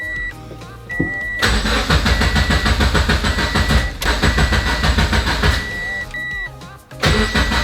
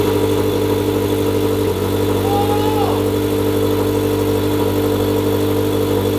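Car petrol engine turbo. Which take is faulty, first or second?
second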